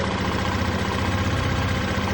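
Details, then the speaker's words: 2005 Honda Lead SCV100 scooter, warm, with the cover refitted and a new part fitted: even, steady low burble with no hunting or racing, a smooth healthy idle; normal idle. "The engine is sort of furring away. I think actually she's running the fact that it was not racing either."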